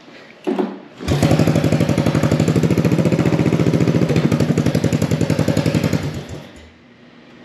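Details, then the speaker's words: 1983 Honda Big Red three-wheeler after debris came out of the restricted exhaust: crisp, even single-cylinder pops with a free-flowing bark, as it is supposed to sound. "that's what it's supposed to be like so obviously there this is restricted"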